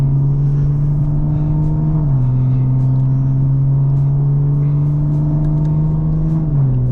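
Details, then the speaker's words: B58 BMW M340i (about 700 whp) after valve cover oil leak and high-pressure fuel pump repairs: engine holds a steady note with clean step changes in speed, no knocks or ticks, sounding healthy. Normal running. "This thing sounds healthy, which I love. It hasn't been sounding this healthy for a while."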